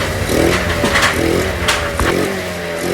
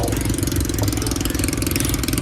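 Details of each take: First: Honda Beat scooter after reattaching the hissing intake hose to the air cleaner: blips up and settles back to a calm, steady idle with no rattle or hiss left; running normally. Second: Honda Beat scooter at idle with the intake hose off the air cleaner: loud hissing rush over the engine beat, like a leaking exhaust though the muffler is fine; fixed by refitting the hose to the air cleaner.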